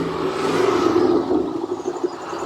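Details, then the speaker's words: Japanese-import Corvette C5 convertible, abandoned and unregistered for over 12 years, aftermarket air filter, oil pressure about 40 psi. A short rev rises cleanly and falls back with no knocks or rattles; normal rev. "sounds okay sounds good to me"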